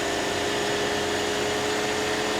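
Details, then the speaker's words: 2007 Mercedes E350 (W211) at Copart idling in 100-degree heat with AC on max cool: smooth, even idle with a steady cooling-fan hum, no knocks or misses and no leaks seen; runs really well; normal idle. "This is really, really nice. She runs really well. You can hear the fan working already. There's no leaks."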